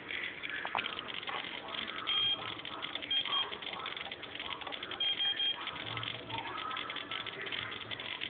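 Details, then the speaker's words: Team Associated 18MT brushless RC truck, 2.4 GHz: a few short high evenly spaced beeps from the speed controller's low-battery cutoff warning, which disables throttle and steering. "this is what it sounds like and that's what it does when the battery's low"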